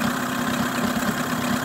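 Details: Mercury 9.9 outboard idling after clearing a dirt-blocked water passage: steady, even mid-pitched hum with no knocks or misses, running normally and pumping water at idle.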